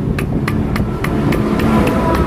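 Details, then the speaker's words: Kawasaki Barako 175 with sand in the engine, less than 6 months after an overhaul. With the crankshaft removed, the connecting rod is rocked by hand and gives sharp metallic clacks from excessive side clearance. It feels slightly rough, and the big-end bearing is possibly failing. "Medyo malaki ang clearance at awang ng kanyang connecting rod sa both side. So sideways yung kanyang galaw, natural po na may galaw. Pero ito yung isang unit na to, medyo malaki yung clearance."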